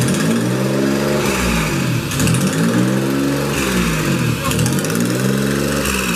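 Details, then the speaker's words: J32 V6 swapped into an EK Civic with a junkyard single-turbo manifold and exhaust, fitted without gaskets, on a 60-second startup. Revving with raspy puffing and ticking from exhaust leaks at the manifold joints. "You can hear all the exhaust leaks, and then we'll turn it off. There will be none. Well, we don't have gaskets, so yeah, there will be the exhaust leaks."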